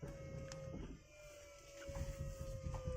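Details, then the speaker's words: Mitsubishi Galant VR4 with an aftermarket electric power steering pump (Holden Astra unit, 70 A breaker), engine off, switched on by button: a steady mid-pitched jet-like hum that takes about ten seconds to fire up; normal pump operation. "I'll press that button and you can start to hear it you should be able to hear it sounds a bit like a jet that's it they're firing up takes takes about ten seconds"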